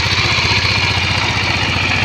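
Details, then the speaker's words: Yamaha Mio Soulty scooter idling with busy metallic clatter over even thump, seemingly from the cylinder head; lacks power at full throttle; owner had replaced belt, slider pieces and torque drive; worn camshaft bearing. "sa akin kasi parang nandito sa cyinder head sa tansa ko parang nasa cylinder head yung umiingay."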